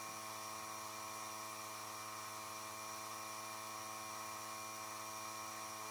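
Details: Small compressor blowing air through an unheated Panoramic RV's water lines during winterization, after pressure dropped as the system drained; quiet steady hum, fixed buzzing pitch, normal running while the side shower is opened.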